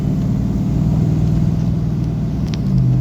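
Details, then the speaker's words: 2012 Dodge Ram on first drive after new tune: deep, even engine drone with steady pulse, no knocks, misses or rattles; smooth, though ABS light back on. "Listen to that motor. This is exciting."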